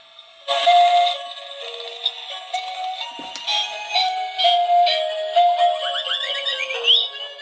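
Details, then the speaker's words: 2005 Lemax Tinkertown Toy Factory after repair with replaced speaker: bright tune plays loud and clean from tiny speaker, crackling gone. "well it does sound clearer it's still loud this one's obnoxiously loud um but I can hear that the crackling sounds gone so that's good"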